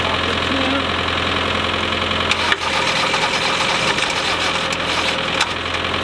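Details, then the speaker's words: Land Rover 90 naturally aspirated diesel not run for 8 years, tried in cold snowy weather on flat batteries: diesel clatters and stumbles, firing only partly with a dip mid-run, barely starting. "well that's it it sort of started ish a little bit"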